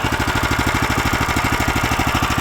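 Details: Lifan LF390QE Pro heavy-duty single-cylinder engine, newly fitted as a replacement on a flail mower and running outdoors on a cold day: even, steady chug at about eleven beats a second, no knocks or misses; starts and runs normally.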